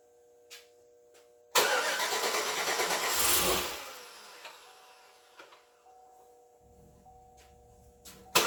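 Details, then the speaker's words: 2008 Chevrolet Suburban, first start attempt of new engine, battery freshly charged: about two seconds of cranking that never catches; no fuel smell at injectors, suspected not getting fuel, possibly fuel pump not upgraded. "I think it's just fuel. Actually, it's not getting fuel."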